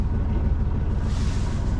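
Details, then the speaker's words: Sailboat engine idling at 850 rpm after rough running was traced to the fuel tap left off, user error: steady even low thrum with regular firing, no stumble; normal idle. "Um But, the real reason I've come back I wonder if you can hear our beautiful engine running. Ticking over. The rain has stopped. Ticking over beautifully at 850 rpm."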